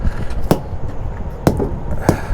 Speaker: I'm listening for that wonderful, properly inflated sound.